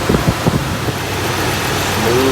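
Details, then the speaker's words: 1964 Buick Electra V8 after intake manifold core plug replacement and silicone cleanup: a few bumps then smooth, even quiet idle with no puffing or ticking; exhaust leak at bottom of intake manifold fixed. "up and running so quiet [Music] so much quieter when it doesn't have exhaust leaking out of the bottom of the intake manifold"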